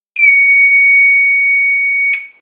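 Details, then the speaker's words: Fire-Lite MS-2 fire alarm control panel piezo sounder after reset, with the duct tape that had muffled it now removed: clean, steady high beep of about two seconds, with no rasp or buzz. Normal tone. "And if the piezo, however you want to say it, sounded weird to you in the video, that's because I just had duct tape over it. So if we go and do another reset, it should sound different"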